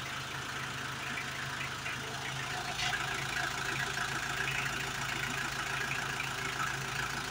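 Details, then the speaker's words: Hyundai H100 with D4BB diesel engine, idling after a top overhaul done for a noisy engine and weak pulling: quiet, steady, even low beat with no clatter or knocking; the former loud knocking is gone; normal idle. "Ayan, ayos na. Wala na yung kalampagan yung ingay."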